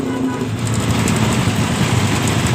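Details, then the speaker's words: Honda Supra engine in a modified Honda 70 frame, new ticking noise. Rapid light metallic ticking over a low, steady idle, loudest at the exhaust and left side of the engine; a loose cam chain, confirmed very slack when the cover was opened. "dengar baik-baik suara mengkritik di bagian pot dan mesin kirinya ini Ini kemungkinan rantingnya yang longgar"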